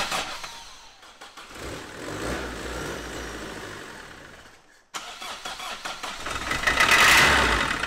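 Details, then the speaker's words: Vauxhall Astra van, freezing cold, first start attempt: catches, fades and dies, then fires again and briefly picks up; won't stay running or rev up, battery tested at only 11 volts, low voltage suspected. "so after about four hours of messing on we think we've actually found why it won't start and stay running obviously a run can over but it's not uh revving up so we did a vault test on the battery and it was only putting 11 volts out"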